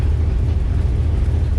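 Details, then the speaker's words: 1997 Ford Explorer with check engine light, misfire codes and camshaft position sensor code: deep, lumpy V8 idle with an uneven pulse and engine shaking. "we're going to check out this uh cylinder misfire definitely hear it engine's shaking pretty good now"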